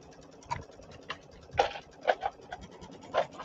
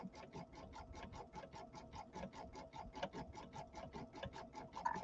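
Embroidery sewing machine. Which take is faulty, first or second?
second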